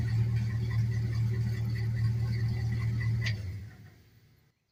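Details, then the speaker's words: LS-swapped 1948 Ford F1 rat rod after lock-off plates were fitted to the purge valve solenoid and EGR valve to cure a large leak, with new exhaust and correct O2 sensors: steady, even V8 idle with no miss or hiss. Normal idle. "starts and runs a lot better imagine that"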